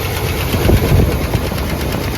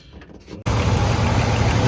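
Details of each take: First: Boat-tail Buick Riviera, long-stored, about 5,000 miles shown, valve cover off, first start: fast light ticking from top end about four per second over rough idle; dry lifter clatter quieting as oil reached them. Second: Buick Riviera boat-tail, with fluids topped up and oil pushed through the lifters: the engine catches and settles into a smooth, even idle with quiet lifters and no valvetrain tick; runs fine.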